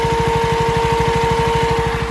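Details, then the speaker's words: 2022 KTM Duke 200 BS6 single-cylinder idling evenly, parked after riding, coolant up from 38 to 44 in 5–7 minutes: steady radiator fan hum over the idle. "की आवाज सुनाई दे रही है, है ना? Radiator का पंखा चालू हो गया है।"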